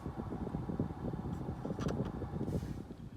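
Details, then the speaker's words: Car cabin blower after the blower motor was replaced to fix a faint rapid ticking on the passenger side: now only a steady, soft rush of air with no ticking or rattling. "okay sound was coming from here earlier now I just hear air blowing perfect so it's nice and quiet now"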